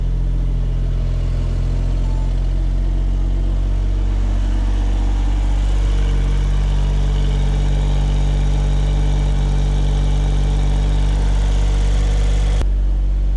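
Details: Suzuki Cara/Autozam AZ-1 hitting a phantom rev limiter, test run after distributor cap and rotor replacement: revs from idle to a steady higher drone, then drops out abruptly; still cuts out, new cap and rotor didn't fix it.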